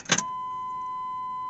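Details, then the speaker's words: High-mileage (268,384 miles) truck unused for about 11 years: short click then faint steady high hum, fuel pump priming normally; 50 psi oil pressure, 120 degrees, 14 volts. "you can hear that fuel pump going boom 50 pounds oil pressure 120 degrees 14 volts"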